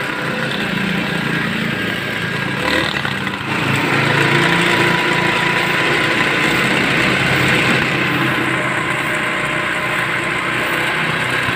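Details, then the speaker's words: Motorstar Easy Ride 150 motorcycle converted to battery-operated ignition with a Win 125 CDI over weak ignition output: steady, even idle after firing up, no misfire pops, surging or dying, a normal idle. "Okay mga boss, ayan, umaandar na nga siya"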